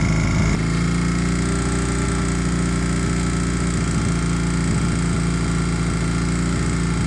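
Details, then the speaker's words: 1981 Honda CM200T twin after its carburetor was cleaned and restored: even, steady low putter with a smooth rhythm and no misses or knocks; normal idle. "and this is how it runs after the carburetor was cleaned and restored"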